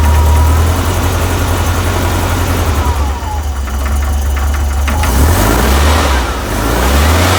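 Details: VW 1641cc air-cooled engine, about 15,000 miles, standard crank and cam, twin DRLA carbs, cold idle: dull regular knock over low engine thrum; caused by play in the aftermarket crank pulley.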